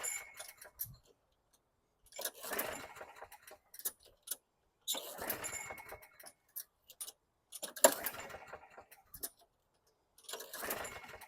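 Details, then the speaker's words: 2010 Lawn-Boy 10642 mower, 6.75 Quantum engine, after service and a full tank of gas with Marvel Mystery Oil: several rope pulls, each a brief whirring rattle that dies away, never firing. It earlier started on the third pull. "It was starting on the third pull, and I pulled it 6 or 7 times there, and it didn't want to start."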